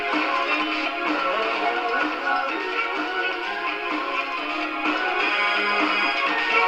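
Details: 1936 Montgomery Ward 62-315 radio powered up after replacing its paper capacitors and out-of-tolerance resistors and cleaning the pins: clean, steady music with no obvious crackle. The distortion is largely gone and it plays normally.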